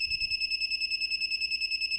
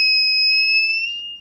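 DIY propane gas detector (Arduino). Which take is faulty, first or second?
first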